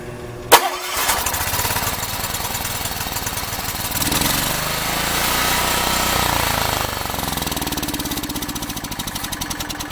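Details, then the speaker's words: Makita G4101R generator with Robin (Subaru) EH25-2 engine, governor just adjusted: starts but speed surges and sags unevenly, rough running because the dirty carburetor is missing a jet, before carburetor cleaning. "it'll start up it won't run great because obviously the carburetors got problems and it's missing that jet"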